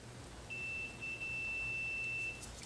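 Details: Queenaire QT Thunder II ozone machine, fuse from the fuse holder tested with meter leads on each end: steady high-pitched beep held about two seconds, continuity present, fuse good.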